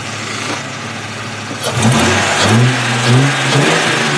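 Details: High-mileage 2002 Ford Mustang 3.8 V6 after a Liqui-Moly engine flush and oil change. Even idle with a brief rev blip; cold-start ticking, which the owner suspects is an exhaust manifold gasket or hole, fades after about 30 seconds. Normal idle once warm.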